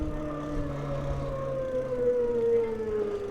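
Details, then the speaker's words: SixThreeZero EVRYjourney 500 W hub-motor cruiser e-bike on a steep climb under throttle, speed falling from 5.5 to 2.3 mph: motor whine sinks in pitch into a low grinding growl, the hub motor labouring under heavy load. "oh you hear that motor kind of grinding it's it's kind of a low growl got down to about 2.3"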